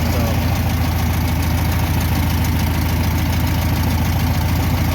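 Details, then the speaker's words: 1962 VW Bus air-cooled single-port four, possibly a 1500, after power loss on a trip probably from a loose spark plug wire: steady even low idle putter around three pulses a second, no misses or knocks; healthy. "So I'm gonna start it up and see what it sounds like. Running pretty good. Good little motor, little single port."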